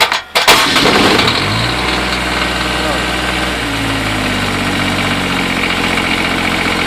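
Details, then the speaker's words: Kubota D722 diesel in a Kubota 1860 hydrostatic tractor with 768 hours, cold start after sitting 6 months, glow plug preheated first: cranks briefly, fires quickly and settles into a steady, even idle with no misses or knocks; a healthy start. "not running for 6 months, that's how hard it is to start this thing. Not bad, eh?"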